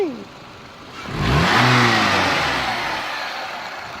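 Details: 2013 Nissan Altima coupe: a quick throttle blip brings out a thin whine that climbs and falls with engine speed, seeming to come from one side of the engine bay.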